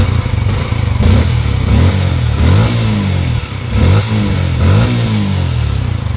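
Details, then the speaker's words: Yamaha Sniper 155 single-cylinder after repair of the clogged oil passage, with damaged cam bolt and top-end parts replaced plus a water pump seal kit. Several quick throttle blips rise and fall cleanly with no top-end tapping or clatter; now quiet, normal revving. "Ayan, makapansin nyo, tahimik na siya. Ayan o, yung nire-rev natin kayo ng maingay."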